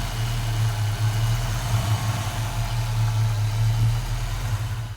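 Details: 1991 Foxbody Mustang GT V8 with newly installed Holley Terminator X fuel injection: steady even low rumble with no misses, knocks or ticks; smooth, settled normal idle.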